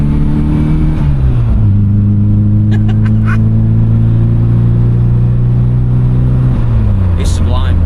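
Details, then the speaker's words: MG Metro with rebuilt A+ Series 1310cc engine, high-compression pistons, new cam, HIF44 carb and Maniflow exhaust, on the road, temperature gauge at quarter: deep even exhaust note climbing smoothly under load, no knocks or misses; normal acceleration. "This is a considerable improvement. And I mean, all these A series engines are torquey, known to be torquey, but this is really pulling hard. Oh, listen to it."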